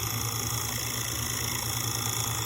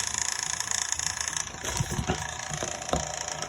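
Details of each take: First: 1958 Baird/Emerson Wondergram record player: after a cam adjustment screw pulls the strap bracket tight over the motor, its earlier bearing rattle is gone. The motor now gives a low, steady hum with a faint hiss. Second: 1958 Baird/Emerson Wondergram record player, playing at 33 1/3 RPM: fine, uneven rattle over the small turntable motor's steady hum from a worn, noisy motor bearing.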